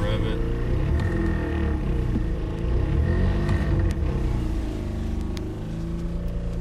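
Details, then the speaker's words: 2018 Honda Pilot 3.5 L, mic moved to floorboard while revving: deep heavy drone swelling with revs, very loud, felt in floorboard and vibrating everywhere; root cause a fuel line vibrating against the floor. "it is it is very very loud and you can feel it in the floorboard and it is vibrating everywhere"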